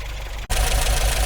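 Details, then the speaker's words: 1980 MGB after a roadside breakdown, newly fitted distributor cap, rotor, leads and plugs, warming up after start: a rough, uneven chug with dropping beats, a poor misfire; owner suspects a 12-volt coil fed only 6 volts through the ballast wire. "and uh I would say that is a very poorest fire to be honest with you so um what I'm thinking is that is a 12 volt admission coil and they're using the ballast wire which only gives it six volts when it's actually running"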